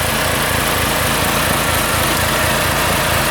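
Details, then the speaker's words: OKAY 2.5 kW max / 2.2 kW rated inverter generator with an added 2 kW kettle, about 2.7 kW load: steady, even drone with regular pulse, no hunting or surging, no overload light. Healthy running under heavy load. "And now 2.70 is more than even 2 kW and the generator works reliably. Look , there is no overload light, it works reliably, it produces all the declared load."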